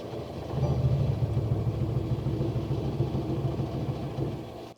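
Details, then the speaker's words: Mercedes Sprinter diesel van at -7°F in Colorado mountains, dead battery, jump starter, glow plugs cycled repeatedly: steady low starter churn about three turns a second, no firing; hard cold start, getting closer. "It's trying. Try one more time. It sounds like it's getting closer. It's got to just warm up."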